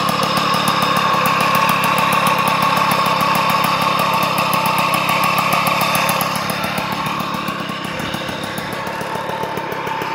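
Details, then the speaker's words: 1989 Magnum Racing ceramic white, small two-stroke idling: a rapid popping beat under a rough, loud metallic whirr; worn crankshaft bearing noise. "donc on entend bien le les roulements c'est bruillanti ai au fait c'est REP bien sûr vous l'"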